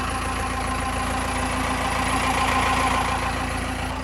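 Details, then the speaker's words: 4BT Cummins diesel cold start at 28°F, starts after about 10 seconds cranking, since new injector pump: steady even mild clatter at cold idle, no misses or uneven knocks; healthier than when bought. "since having a new injector pump, it's always sounded a lot healthier than it did when I first bought it. It's cold and listen to it."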